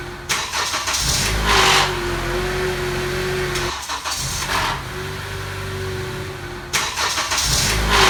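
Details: 2014 Honda CR-V cold starts at 40°F (4°C) and below: short harsh grinding rattle fading to steady idle, from the VTC actuator; actuator already replaced under warranty but noise continues, no engine damage seen so far.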